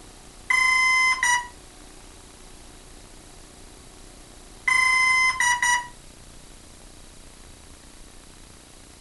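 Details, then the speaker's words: Hobbyking F4U Funfighter RC plane with FlySky six-channel receiver bound to Turnigy 9x: two identical bursts of high chirping beeps about four seconds apart, motor never spins; the speed controller flags an error. Owner suspects a bad speed controller, unconfirmed. "okay that's the complete segment anyone knows what's wrong with that please tell me uh i think it's a bum speed controller"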